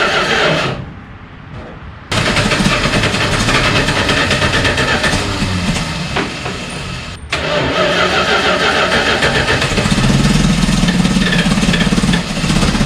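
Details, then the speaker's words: 1972 Dodge 318 V8, first run after almost 20 years, following a carb rebuild, new vacuum hoses and ignition wires: it cranks, catches and runs with an uneven, lumpy, surging rumble. Rough running, badly out of tune. "get it yeah it's out of tune really bad but it's got the bones for it i could hear it rumbling in there well it's not quite running"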